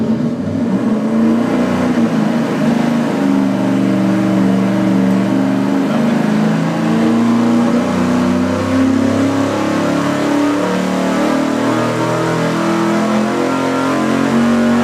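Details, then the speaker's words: V8 on engine dyno at wide-open throttle with a rebuilt/remanufactured 750 CFM Edelbrock Performer four-barrel carb; loud pull whose note wavers and surges instead of climbing cleanly; air door possibly not fully open, suspected cause of the warbling. "Oh, maybe that's why it was warbling instead of revving up cleanly."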